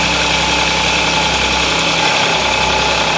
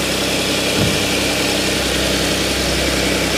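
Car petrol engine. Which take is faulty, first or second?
first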